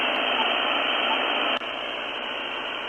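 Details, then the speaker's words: Luiton LT-310SDR CB radio on the bench, with noise reduction set at level one: a steady hiss that drops slightly when noise reduction engages but stays strong; a high static noise floor remains. "Now, that did quieten things down, but as you can hear, I still have quite the static floor there. It's quite the noise floor."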